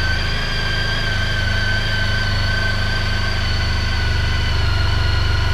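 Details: Honda ST1300 motorcycle on stock exhaust, still cold and fast-idling at about 2000 rpm: smooth, even idle with a steady hum easing down slightly as it warms; normal idle.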